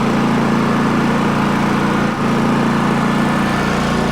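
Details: Repaired Champion 4500 W dual-fuel inverter generator, eco mode off while checking starting-battery charging at about 13.0–13.1 V: steady even buzz holding constant speed, no misses or knocks; normal running.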